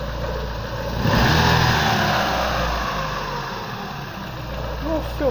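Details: Car after DIY repair of crankshaft keyway for lack of power: even, steady idle with one quick throttle blip settling right back; exhaust pipe hums; engine sounds healthy, normal idle.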